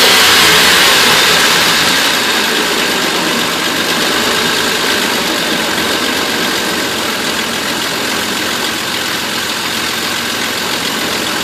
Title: Van misfire